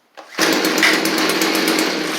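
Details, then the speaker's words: Stihl string trimmer restarted after fitting a Hipa replacement carburetor: snaps up to a high steady buzz, holds revs without bogging or stumbling; previously bogged on throttle, fixed. "Boom. So, uh, that fixed it. It was bogging down whenever you tried to give it gas beforehand. So, uh, that's super nice that that, uh, fixed the weed eater."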